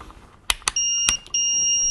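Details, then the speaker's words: EEVblog BM786 (Brymen) multimeter gives a steady high double beep after range-switch clicks: switched to resistance range with test leads in the wrong input jacks, input jack warning beep. "ah the meter's warning me that I've switched to resistor but I have the leads in the wrong place"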